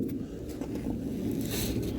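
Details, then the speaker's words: Volvo V70 diesel, ignition on and engine off: a steady low droning hum from the tank area, where the in-tank fuel pump is normally inaudible; owner suspects a worn pump and plans to try a new fuel filter first. "you might be able to hear how bad the pump sounds usually you can't hear it"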